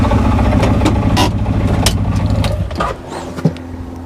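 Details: Seadoo GTX DI two-stroke personal watercraft after replacing a bad air injector (weak battery noted): burbles and revs briefly with some clatter, then settles lower and quieter, running without stumbling; normal running.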